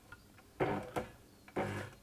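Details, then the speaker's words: Elna Electronic TX (Lotus type) sewing machine, original motor: runs in short uneven spurts with brief drop-outs, sometimes won't restart after stopping until the hand wheel is turned; stuttering motor from failing electronic speed-control board. "So when you stop, sometimes it doesn't go again until you give it a little bit of a hand or a turn of the wheel here, and away it goes."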